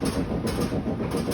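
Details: Whirlpool WTW5600VQ0 washing machine on spin cycle: fast, heavy rhythmic thumping and rumbling several times a second as the drum spins, machine banging and walking across the floor.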